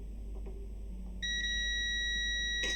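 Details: ProFX8 v2 mixer, intermittent microphone socket: meter on the middle pin gives a clean, steady continuity beep without dropouts while the connector is moved; that pin's contact is good.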